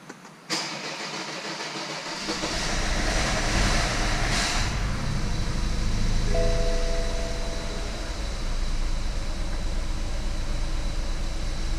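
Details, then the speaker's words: Rebuilt BMW 320i turbo, first start: cranks and catches, then uneven, stumbling lopsided idle; codes show cylinder 1 injector circuit open and cylinder 1 misfire; suspected coil or injector. "Cilindro do injetor 1, circuito de vazão aberto. Uhum. Erro de ignição do cilindro 1."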